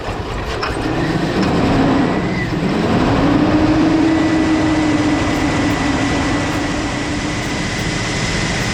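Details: 2002 Cadillac Escalade barn find, parked about five years, started after fuel lines reconnected: uneven loping drone, wavering tone over heavy rumble, running rough and not firing on all cylinders; cause unconfirmed.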